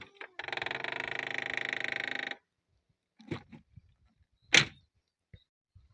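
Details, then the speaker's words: 2012 Citroën C4 (B7 body): power-folding side mirror squeals when folding on locking, a two-second buzzy high-pitched motor squeal, then light clicks and a thunk; fixed by disassembling the mirror, the other side already repaired. "Часто возникает такая проблема. При закрытии автомобиля и складывании зеркал оно скрипит."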